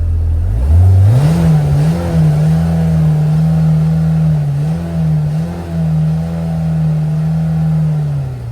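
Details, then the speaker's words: 2024 Kawasaki Ridge XR HVAC UTV, recorded inside the cab: engine note climbs quickly, then holds a loud steady high drone with no knocking or rattling. Healthy, just a high-revving engine the owner finds quite loud. "I don't particularly like the high revving engine. I'll just let you hear what it sounds like in the cab."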